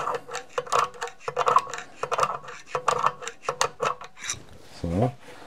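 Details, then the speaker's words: Mercedes W211 drum-type parking brake being renewed and adjusted via the knurled adjuster screw, drum turned by hand: rasping scrape each rotation as shoes begin to drag; parking brake shoe drag during adjustment. "gucken wir mal fängt schon an zu schleifen ein bisschen dran man hört"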